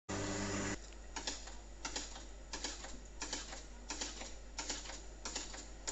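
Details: Hotpoint Aqualtis AQ105D49D 10 kg washer on Cottons 90°C, 1400 rpm spin, SuperWash: irregular sharp clicks under one a second over a quiet hum during spin; owner suspects something between drum and tub, filter held only hair.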